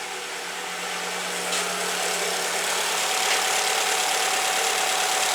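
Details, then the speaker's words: Alfa Romeo GT 2.0 JTS being checked for an engine knock, warming up after start: steady even idle, constant hum, no stumbles or surges; warmed with lambdas in range and no fault codes, to be monitored. "Работает ровно, ничего не дёргает. Будем наблюдать."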